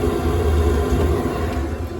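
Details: Rebuilt Webasto EVO diesel heater on a narrowboat after a blocked burner: steady low roar, even combustion, no popping or surging, residual damp burning off the cladding as temperature climbs to 65°; running properly.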